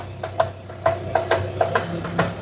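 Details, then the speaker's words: Car on jack, wheels steered, first gear engaged on clutch without throttle, engine idling: sharp metallic clicks about three per second from worn CV joint; homokinetic joint needs replacement. "Observa aqui e escuta o barulho. Dá para escutar aquele barulho que a gente escutou no vídeo numa frequência menor."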